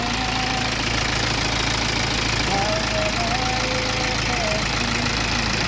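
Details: BMW diesel that died on the road after its timing jumped several teeth; a high-pressure pump failure was first suspected. Restarted after the timing fix, it idles steadily with a low rumble and faint regular clatter, quieter than before. Normal idle.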